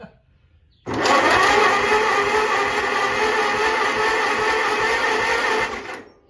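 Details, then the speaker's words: 1948 Farmall C tractor with battery, ground and starter hooked up: about five seconds of steady, even starter cranking with no binding or grinding; normal cranking, hydraulics also work. "Let's see if this old girl will roll. Yes, and the hydraulics work."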